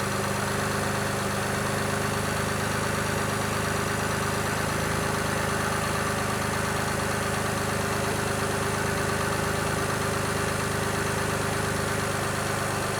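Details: 1967 Ford Anglia 105E with a Mitsubishi 6A13TT engine, idling after the smoky turbo was replaced. Even, settled idle with a steady low hum and no knock, whistle or hunting, though the new turbo is barely turning.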